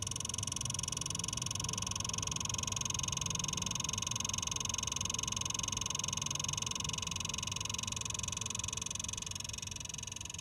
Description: I just bought this xbox and after 10 minutes of playing it’s start to make ticking noise